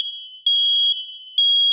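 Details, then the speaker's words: 120 V hardwired smoke detector with the red interconnect wire connected, upstairs unit triggered manually so the downstairs unit sounds too: piercing high beep near 3 kHz, pulsing half a second on and off. Alarm sounding normally. "right now I'm going to manually set off the alarm this is the smoke detector that that's upstairs and when I set off the alarm you'll hear that simultaneously the alarm of the smoke detector downstairs will start to alert and sound as well"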